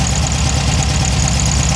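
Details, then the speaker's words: Engine after fixing high rev issue by cutting down the throttle cable shaft so the adapter fits: low, even idle rumble holding a steady beat with no surging or racing; idle now normal. "Now you won't wake up all the neighbors. So, good deal. It's fine."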